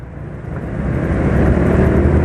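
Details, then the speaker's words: Suzuki Nex II scooter after oil change to Fastron Techno 10W40 (about 600 ml new, ~15% old oil remaining, cooking oil to be added later), pulling better than previous 15W50: smooth, even note building as revs rise, no knock or tick; normal running. "Nanti ditambah lagi pastinya akan lebih halus lagi suara mesinnya. Ya, ini sudah halus ya, sulit untuk membedakan lagi kalau dibuat lebih halus."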